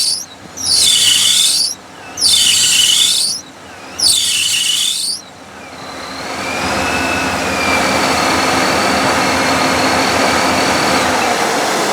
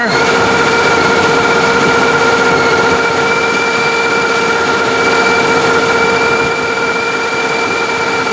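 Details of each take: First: Hot L29 454 truck with ProCharger kit and new alternator: loud high-pitched squeal bursts, then a steadier squeal over the engine, normally from startup until warm; belt slipping on the accessory drive is suspected, not confirmed. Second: OBS 454 truck with ProCharger kit, warm, after fitting a longer accessory belt (replacing the 113-inch one) so the smog air pump runs: steady engine with constant supercharger whine, no squeal at startup; owner notes low alternator voltage.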